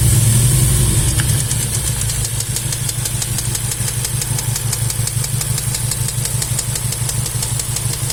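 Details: VW Golf 7 R at idle: sharp, even clacks about three times a second over a steady idle. A ticking or knocking from inside the engine, source unknown.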